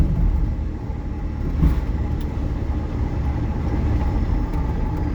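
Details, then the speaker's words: Electric-converted MG Midget with new replacement motor and throttle, driving forward after install: soft road rumble, no whine, clunks or jerks, smooth and quiet; motor stays cool at about 16C ambient, while reverse gear grinds and is jumpy. "Actually sounds very good going forward. So something with reverse gear is wonky. Oh man, this is smooth! Oh, this is so much better and quieter."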